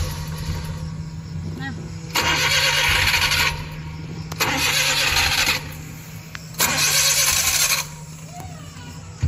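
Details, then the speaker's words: Suzuki K6a engine in a Transformer pickup: three long cranking bursts with the starter whirring and no catch. It starts hard in the morning or after cooling, then starts with one click once warm; the cause is tight intake valve clearance. "Syempre ganito naencounter niyo yung hard starting sa umaga pero pag naka na siya tuloytuloy na one click na ang start mo"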